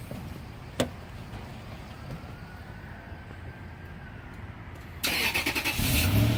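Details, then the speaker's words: 2003 Toyota 4Runner V8 Sport Edition 4x4: low, quiet, even hum with no ticking or misses until a louder burst near the end; smooth normal idle. "sounds good sounds smooth running you can hardly hear it"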